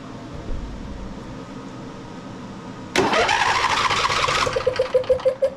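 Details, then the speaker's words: John Deere L111 mower, Briggs & Stratton 20 hp V-twin, over 1,200 hours, before valve adjustment: key held long, starter grinds, engine catches in ragged puffs; hard start, compression release suspected inactive from loose valve clearance. "I'll show you what it's doing. You have to hold the key down to make it crank over."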